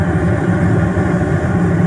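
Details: Furnace, now with a good connection: steady low roar of the gas burners firing evenly, no popping or flutter; burners running normally while waiting for the blower.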